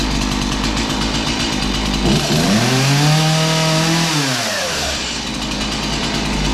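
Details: Stihl MS 180 two-stroke chainsaw started with choke, then running: buzz settles into a steady run, revs climb and drop back cleanly with no stumble; normal running.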